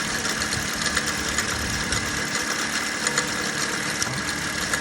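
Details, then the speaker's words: Toyota Yaris 1.33 1NR-FE dual VVT-i engine idling with both cam VVT solenoids disconnected. Uneven metallic rattle up top, irregular light clatter; persists with solenoids unplugged, so a mechanical fault in the timing chain end is suspected. "but even with it disconnected you can still hear ble so clearly there's a mechanical issue and it's going to be within that chain end"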